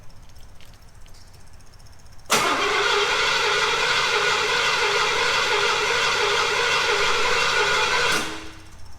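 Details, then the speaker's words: Long-stored Lawrence Welk car in abandoned garage, fuel fed from a can via cheap universal electric pump (3-5 psi, needs 15); starter spins engine evenly about six seconds but never fires; injectors not firing, crank no start. "Okay, try it again. Okay. The injectors are not firing at all."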